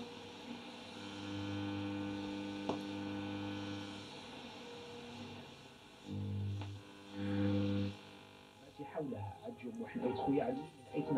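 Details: Philips Reverbeo B7X14A stereo radio under restoration, short and medium wave fine; on long wave a steady low mains hum with a faint buzzy overtone, then crackly garbled reception; hum and no reception on long wave band.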